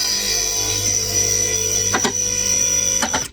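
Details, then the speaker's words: Hi-Lift YL240 4.5-tonne home hoist lifting a car: steady hydraulic pump whine with two sharp clicks about a second apart as the mechanical safety locks drop into place. This is normal locking-mechanism noise. "noise you can hear is the locking mechanism of the hoist. So it will lift up past the locking mechanism, which will fall into place."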